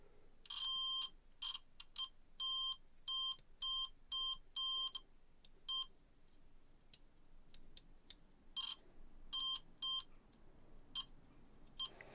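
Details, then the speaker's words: Hitachi TRK-8000E radio cassette with a no-play fault, continuity test on the mechanism leaf switches: uneven continuity beeps cutting in and out as the switch is nudged; play, rewind and fast forward contacts not forming the circuit properly, dirty leaf switch contacts. "so it would appear that none of these are actually forming the circuit properly"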